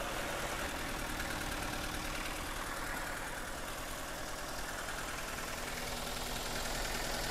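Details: Toyota Avanza/Daihatsu Xenia, cold morning start after hard starting, previously overheated: rough, uneven idle with slightly irregular beat; warped cylinder head burned through head gasket, coolant moving to reservoir.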